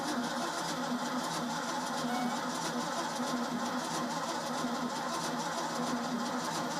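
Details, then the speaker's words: Old Ford F-600 after a new fuel pump and plug change. Starter turns it at a steady drone but it never fires; crank-no-start. Gas smell at the exhaust, so fuel arrives; owner suspects no spark, not confirmed. "all right so we're probably not getting spark I think seeing is not trying to get"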